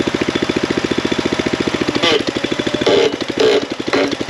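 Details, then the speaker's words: Jinma (Tractor King) 254 tractor on 50/50 black diesel blend: idle pulsing about ten times a second, stumbling with surges and sags; gummed carburetor pulling too much fuel through the jet, running rich; new carburetor ordered. "pulling too much fuel up through the tube, through the jet. But whatever, I can get it to idle, and that's enough to slowly push through this gum."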